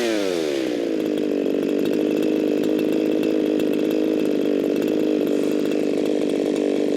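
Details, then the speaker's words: Echo 4910 chainsaw (modified), warmed up after long storage, tuned by tachometer aiming for 13,500 rpm: revs shoot within a second to a thin, steady scream with no burble, around 15,000 rpm; far too lean. "Way too lean. That jumped up to 15,000 RPMs. Way too lean for this here saw. Way too lean for most saws."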